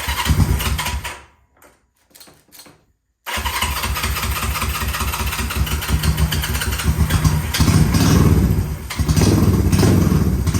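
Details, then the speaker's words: Honda CL350 Scrambler, about 50 years old, parked for years and not run; first start using the old gas tank plumbed in without fuel filters. It cranks, pauses, then fires and settles into an even beat that rises with throttle before being ridden down the road. Normal start and run. "Finally had some success with this thing. Super excited and I rode it down the road."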